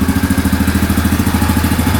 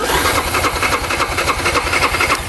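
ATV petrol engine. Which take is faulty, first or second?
second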